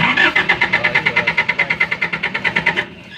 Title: GENERATOR WONT START - HOW TO TROUBLESHOOT. STEP BY STEP. Generator ayaw umandar pano ang gagawin.